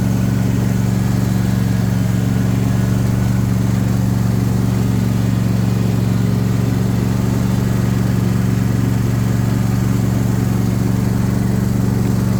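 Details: JD S130 mower, after reinstalling the blades (spindle noise was suspected): a steady, even engine drone with a smooth low hum and no squeal or rattle from the pulleys. The earlier noise is gone and it runs healthy.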